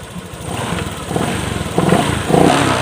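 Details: Honda Click125 scooter with sticking throttle, injector swapped from a same-model bike: short revs climbing and settling each time; picks up fine, so injector ruled out.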